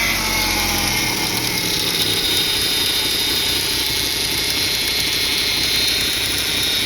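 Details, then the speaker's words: 1995 Eagle Talon TSI engine running with a harsh raspy vibration buzz felt in the car plus power steering whine; source unconfirmed, heat shield or broken balance shaft belts suspected. "You can hear that like a vibration, almost a buzzing noise. You can feel it in the car, which is what's crazy."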